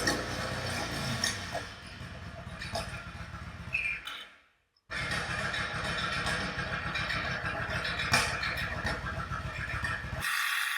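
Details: Yamaha XVS1100 V-Star V-twin bobber, adjusting carburettor pilot mixture screws: lumpy, uneven beat that smooths and picks up noticeably as mixture is turned; rough running from incorrect mixture.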